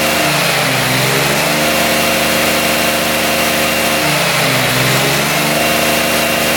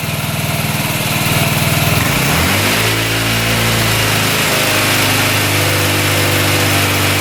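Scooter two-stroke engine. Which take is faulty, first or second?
second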